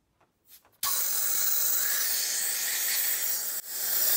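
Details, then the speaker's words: Elite Engineering high flow catch can check valve (3/8 in hose) fitted forward under constant airflow, about 1 psi back pressure; click, then steady smooth hiss; flows freely with little restriction. "and now it's flipped around from airflow and you can see we're at one pound so with one pound that's a little bit of a restriction but really not a lot"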